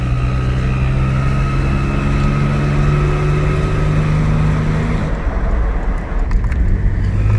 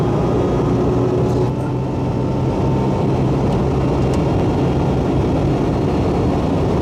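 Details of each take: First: Supercharged 2002 Nissan Xterra running: faint steady high-pitched whistle over low engine drone from a small exhaust leak at a rust-corroded flange; first suspected timing chain guides or intake; bolts sawed off in repair. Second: Supercharged 2002 Nissan Xterra at almost 80 mph after exhaust leak repair (sealed with copper RTV) and supercharger belt refitted: steady low engine drone and road rumble, no whistle or ticking; earlier noise came from underneath, not under hood.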